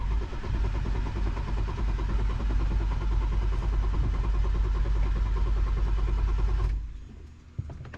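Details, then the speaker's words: 2008 BMW 335i E92 N54 six-speed that has never started, half a tank of fuel, dash lights on: starter churns the engine at an even rhythm for several seconds but it never catches; no fire. Owner suspects the fuel pump. "no fire we got gas half a tank"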